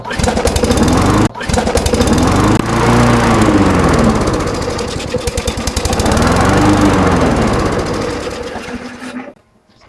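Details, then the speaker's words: Canadiana Elite 22-inch self-propelled mower with Briggs & Stratton Quantum engine hunting, revs rising and falling every few seconds, because the governor spring was left off during reassembly. "Same thing. Did I forget to put that spring on? I did. Oh, silly me."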